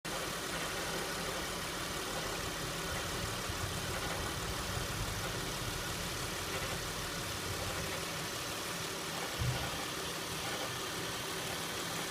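Steady idle with a light, fast metallic rattle riding over the engine note; something loose is chattering, cause not yet pinned down.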